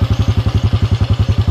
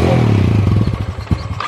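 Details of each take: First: Yamaha Jupiter carbureted motorcycle that kept stalling and would not hold idle, after the throttle idle setting was adjusted: even, deep thumping at about nine beats a second, holding level with no hunting; now a normal smooth idle. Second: Yamaha Jupiter motorcycle that won't hold idle even with air and idle screws already adjusted. Engine pulses about three times a second and dies within two seconds once throttle eases; stalling at idle.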